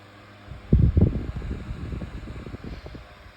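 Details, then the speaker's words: 8-inch Better Homes and Gardens retro metal table fan on high speed with oscillation: low uneven throbbing rumble that wobbles as blades spin; blade out of balance, seeming to spin backwards almost. "This one's out of balance. It actually spins the right way and then spins backwards almost. That's kind of That's pretty much because it's out of balance."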